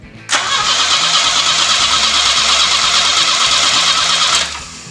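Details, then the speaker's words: 1969 Volvo 142 S after fuel pump and carburetor repair, fuel primed: catches at once and runs evenly about four seconds without stumble or misfire; healthy start. "go ahead should start oh look at this there you go bro you get it"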